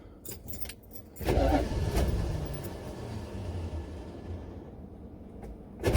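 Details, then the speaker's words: Buick Electra 5.7L diesel, cold start attempt with ether: cranking bursts catch briefly, then the starter pops out each time the engine kicks. A worn starter or shim is suspected, and the battery is dying. "right well every time the engine gives a kick it just pops up starter raw out and uh you can see what's happening"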